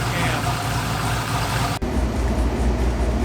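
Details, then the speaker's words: LS V8-swapped Mazda Miata, first start in 7 months, warming up; lumpy V8 idle settling about 900 rpm, near the 850 rpm target; normal warm-up idle. "so it's starting to find that 850. uh 850 should have been the idol it's sitting right about i'd say 900 but it's pretty it's pretty close to that 850 mark that we were looking for"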